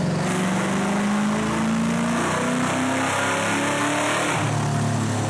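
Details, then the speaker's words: V8 engine of the former world's fastest Cobra Mustang, restored period-correct and fitted with a new pulley, revved while being set up on the dyno: deep rumble climbs and falls smoothly and evenly, no knocks or misses; normal revving. "All right, right now Mike is just setting up the dyno, but man, does this thing sound good."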